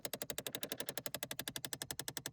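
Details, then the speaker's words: 2008 Chevrolet Impala with the engine on, heard from under the dash with the glove box dropped: rapid even clicking, about eleven a second, from the temperature blend door actuator, felt thumping under the fingers; the actuator is to be replaced. "It's definitely this one, and I can tell because I can feel it thumping underneath my fingers. So right there's our temperature actuator. And that was our noisy guy."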